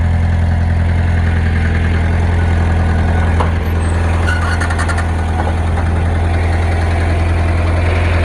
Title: Rod knock or pushrod slap ..?